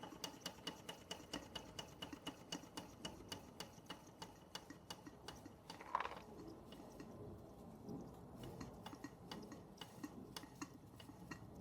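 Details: Bing 10/110 poppet valve steam engine on its original spirit burner, slowed down: light, even ticking chuffs about two per second, steady and unhurried, condensation cleared, under 1 bar (about 10 psi); running smoothly at low speed.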